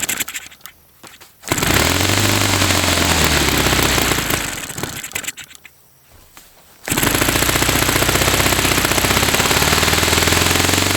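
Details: Saito FA-300T twin glow engine after re-priming and setting high-speed needle to 2.5 turns: sharp rapid crackling buzz easing off then picking up cleanly and evenly; both cylinders firing, running well; onboard glow suggested.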